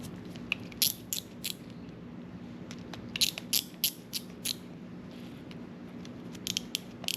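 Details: Shimano Chronarch C14 baitcasting reel after disassembly, cleaning and re-greasing service, being turned with the drag tightened: short bursts of crisp, light clicks with no grinding or rough spots. Normal, healthy gear and clicker sound.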